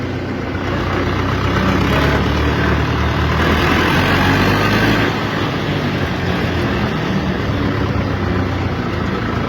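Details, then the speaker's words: UTB tractor, rebuilt engine with new camshaft and oil pump, rebuilt reducer in low range, fifth gear; new bearings, PTO shaft, seals, planetary gears. Heavy diesel drones steadily and evenly with only faint gear hum; reducer healthy. "Deci cam așa se aude. Se aude foarte puțin, oricum schimbă un pic mers."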